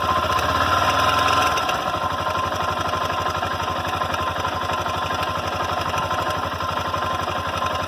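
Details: Honda NX Falcon 400i motorcycle at idle; sharp regular tapping about four times a second over the engine note; hammering knock of unknown cause.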